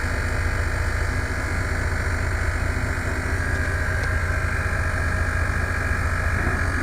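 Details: Scania TGB30 SBA111 military all-wheel-drive truck, 11-litre D11 diesel, low idle after cold start; rasping buzz, a couple of pulses a second, until brake air builds to release the valve: low-pressure warning.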